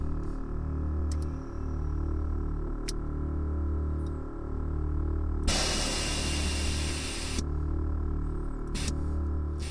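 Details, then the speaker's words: 1992 Ford Fox body Mustang 5.0 with a manual Airtekk stage 2 air ride system, heard in the cab with the engine running: steady engine hum under a crisp two-second hiss of air venting from a valve, then a short puff as the car airs down. Normal operation. "and I mean quite honestly this gives you a bit of an impression of how loud it is in the cab when the compressor's on"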